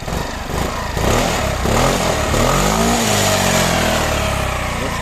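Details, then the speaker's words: 2016 Yamaha XMAX 250 after replacing a gutted, loud exhaust with a new one: smooth, fairly muted rise and fall through throttle blips, no rasp or blowing; engine running normally again. "Çünkü egzozun içini boşaltmışlar komple şu anda Motorumun çalışması gayet normale döndü"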